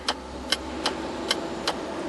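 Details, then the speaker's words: 2004 Mazda 3 shifter won't come out of park on brake: with passenger-side junction box lowered, tapping it makes the shift lock relay click sharply (about five clicks in two seconds) and shift lock works again; faulty internal relay, junction box assembly to be replaced. "but when I tap on the box you'll hear the relay click and now it's and now it's working again"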